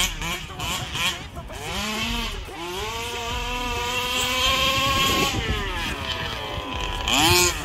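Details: Rovan Baja 5B RC car, stock Rovan 29cc two-stroke with Rovan Dragonfly pipe, after won't-start troubleshooting and break-in heat cycles: crisp high buzz climbing and falling cleanly with each throttle blip, no bogging or rattle; normal running.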